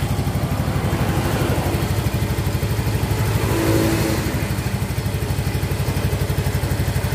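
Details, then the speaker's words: Mio GT125 scooter after cylinder liner replacement with Vario 125 FI piston fitted, running after reassembly: even, quick single-cylinder beat with a brief rev, no knocking; smooth, healthy normal running. "cukup halus teman-teman ya cukup halus tidak ada benturan sama sekali"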